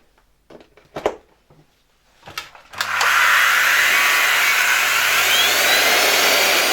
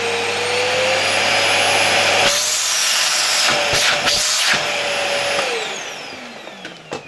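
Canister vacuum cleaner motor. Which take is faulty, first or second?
first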